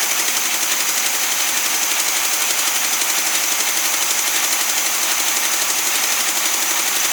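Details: Newly acquired SpraCoupe air-cooled flat-four for a 1961 VW bus, running on coil from original bus engine: steady even pulsing idle about three beats a second, no misses or knocks; oil light goes off instantly; healthy.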